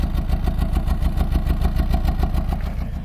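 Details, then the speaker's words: 2004/2005 PT Cruiser, flashing check engine light, won't rev past about 3000 rpm, dies above 40 mph, after overheating: lumpy idle stumbling three or four beats a second, misfire, cause unknown. "I'm going to put these in it be the second time I've done it you can hear how it's running now you tell it's got some kind of"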